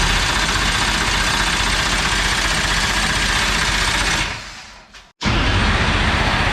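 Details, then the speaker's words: Dirt Late Model race car being prepared, oil not yet changed, before first fire: starter cranks the engine over with a fast, even churning for about four seconds, no fire yet; normal starter cranking. "Okay. Starter works. Means we can crank it."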